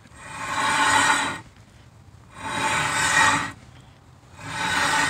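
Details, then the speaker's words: Rear brakes with pads worn through, wheel turned by hand, rust-brown metal dust on the rim, rotor badly thinned, noise started only yesterday: three slow, harsh metal-on-metal scraping rasps; worn-out pads grinding into the rotor. "there goes your rear brakes grinding. Okay, so look how thin this rotor is. That's crazy, right?"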